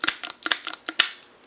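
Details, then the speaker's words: Land Rover 300Tdi fuel lift pump fitted with only one gasket instead of the 3 mm spacing: cam too tight against the pump lever, producing sharp metallic clicks in quick pairs, several a second. "what's happened is that this is only at one gasket on and what is going on is that the cam is is too tight against this lever and it's nowhere to go when this lever pivots"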